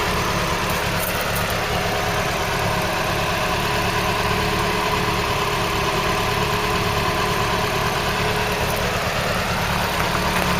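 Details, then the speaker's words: Mk3 Ford Cortina 2-door GXL automatic, left in a field since 1983 and restored: a smooth, steady low-pitched idle with even firing, no ticks, knocks or hunting, and no smoke, holding pressure; normal idle. "Listen to that engine though, doesn't that sound nice? Now you wouldn't think it's not been running since that amount of time, 83."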